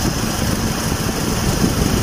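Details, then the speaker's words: Opel Astra at warm idle after an engine rebuild with new rings and replacement of a broken timing chain guide; kept under 3,000 rpm during break-in. Very quiet, steady idle with no knocks or ticks, radiator fan running, temperature gauge steady at mid-scale. "No se escuchaba nada a pesar de que la guía estaba rota. Ustedes se dieron cuenta cómo salió rota, no se escuchaba nada y ahorita escuchamos igual nada en el motor. Es muy silencioso este motor."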